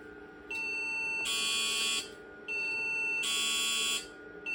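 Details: IBM PC/XT Model 5160 running the Supersoft diagnostic ROM after hard drive and floppy controllers were added: repeating high beeps about every two seconds, short then longer tone, flagging a memory parity error (PARITY CHECK 1).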